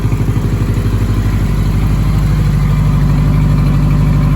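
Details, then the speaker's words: 1985 Honda Gold Wing GL1200, cold start after sitting a month or two, idling on choke at about 1500 rpm: quick, even exhaust pulses with no misses; it smokes while warming. Compression test later found bad rings. "About 1500 RPM while we idle to warm up with the choke on. It's not too bad."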